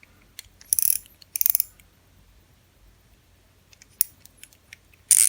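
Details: G-MAX Wolf II (2020) spinning fishing reel after cleaning and reassembly: short bursts of crisp, ringing drag clicks as line is pulled, then quiet pauses; drag sounds firm and healthy.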